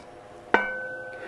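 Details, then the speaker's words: Sharp tap on a circular saw blade gives a clear, high, lingering ring; undamped blade that will whistle in use, though cut quality is the same as the other blade. "avez ce bruit aigu et qui reste dans le temps"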